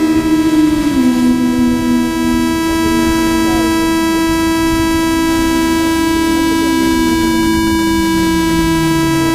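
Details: DJI H3-3D gimbal carrying a GoPro Hero3+ Black: steady loud mid-low electric buzz with fainter tones sliding beneath, present before takeoff and seeming to disappear in flight; cause unknown.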